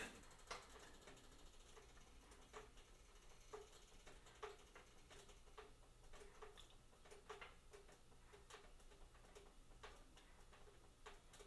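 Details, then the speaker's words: T-Fal OptiGrill preheating from cold metal plates: soft, irregular ticks and crackles scattered over a low hum as the plates heat up; normal thermal expansion noise. "So when they start heating up, they do make a bit of noise. So don't worry about that."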